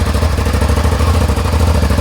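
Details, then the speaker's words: Suzuki SV650 V-twin motorcycle, quite cold engine started without choke: deep, lumpy but even idle with steady low thump and no misses; normal cold idle. "i just want to do a bit of a sound test actually uh engine on that's with no choke it's quite cold"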